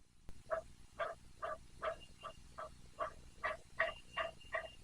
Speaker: you hear that those bearings are awful crunchy